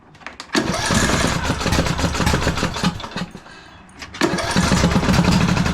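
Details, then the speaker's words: 2009 Craftsman YTS 3000 with 21hp Briggs & Stratton twin, after new rings: stumbles to life, dies, restarts running lumpy at about three pops a second with heavy backfiring; owner says timing is correct, cause unknown. "Oh boy. Why is it running like that? Don't do this to me."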